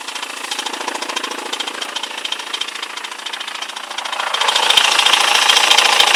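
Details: BMW E91 with M47 diesel at idle, sharp regular metallic knock about 3.5 times a second, louder toward the end; strange noise, cause unclear.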